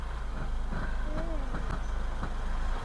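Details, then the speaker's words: Learner car, demonstrated against a happy idle: deep, slow chugging pulses, engine straining at very low revs in too high a gear, an "unhappy engine": lugging. "that is an unhappy engine okay okay now it's telling you it's unhappy"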